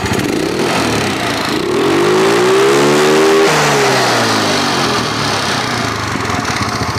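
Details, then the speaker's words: Yamaha Mio scooter after carburetor fix (air screw adjusted, membrane checked for leaks) that had coughed and wouldn't idle: engine revs cleanly to a steady high pitch and drops back evenly without stumbling or popping; carburetion now smooth. "soal suaranya sini ya Kalau tadi Suaranya ndak karu-karuan karena dari sini juga sekarang sudah halus"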